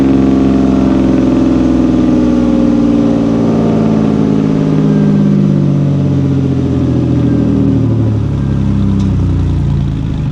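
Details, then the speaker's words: 1988 Camaro RS, sat over a decade, after fuel system overhaul with new exhaust tip: strong, steady running with a low rumble, smooth revs, no misses or knocks, running better and better; normal running. "Running pretty good. We gotta cut that tip so it don't stick out so far, but I think that was a good choice. It gives it a little rumble."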